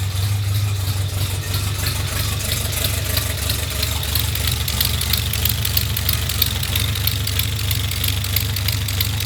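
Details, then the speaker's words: Toyota 22RE engine in an off-road buggy, just after exhaust manifold gasket replacement: sharp, rapid puffing tick over a rough steady idle, pulsing with each firing. Exhaust still leaking at the top of the manifold; air felt escaping there. "Big old leak coming out of the top. That's strange. I could feel air coming out of right here, and I could hear it."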